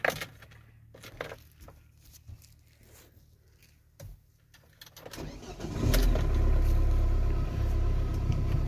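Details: Ford Transit Connect diesel with prior idle hunting fault, glow plug light flashed on last drive: keys rattle, then fires first time and settles into a steady, even idle with no hunting or surging; owner still suspects something not quite right.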